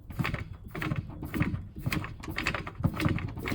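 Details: Samsung top-load washer laid on its side: rhythmic flapping clicks about twice a second, like a card in bicycle spokes, when the clutch engages for spin; worn clutch.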